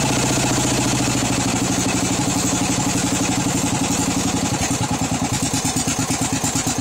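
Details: Craftsman 13.5 hp mower engine that was found with no oil and was smoking, owner suspects a cracked piston: slow, lumpy chuffing idle that sags and stumbles, below the carburetor setting, with an oil smell. Rough low idle, cause unconfirmed.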